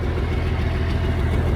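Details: M35A2 deuce-and-a-half diesel idling after a new fuel pump pickup tube, 24-volt inline fuel pump and two replaced fuel lines (leak fixed): steady, even low rumble, no knocks, misses or surging. Clean, healthy idle.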